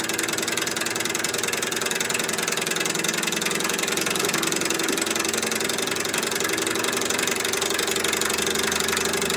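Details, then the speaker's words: Candle-powered walking-beam Stirling engine at about 800 rpm: busy, rapid rattling clatter throughout from loose bearings on the vertical linkage rod, making it loud and inefficient. "now all this noise i have bearings on this vertical rod that are loose um one of the things about the sterling engine was the whisper quiet this one's quite loud noise is inefficiency"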